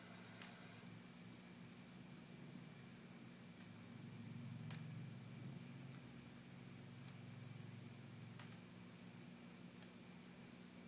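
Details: New Sharp Quatron TV, switched on with only an antenna signal, makes faint sharp ticks every second or two over a low room hum; the sound is not from its speakers and is noticeable in quiet movie scenes.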